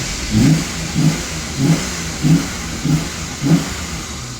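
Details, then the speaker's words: 1998 Ford Explorer revived after sitting five years, warm engine: six quick throttle blips about 0.6 s apart, revs rise and fall cleanly with no knock or stumble; runs well warm, though owner plans new idle air control valve and spark plugs for idle. "Honestly, when it's nice and warm, it's running pretty good."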